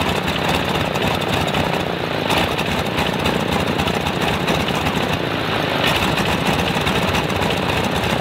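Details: Stinson L-1 radial, duplex magneto with distributor outputs swapped to isolate fault, ticks over with an uneven, lumpy beat; fault stays left, left distributor blamed; dead magneto, running on one ignition side.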